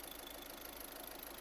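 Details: 2013 VW Caddy diesel with low fuel pressure (P0087), idling after fuel filter replacement, no leaks after 10 minutes running: steady, even idle clatter with a soft, level hum underneath, no misses or surges; settled, healthy idle.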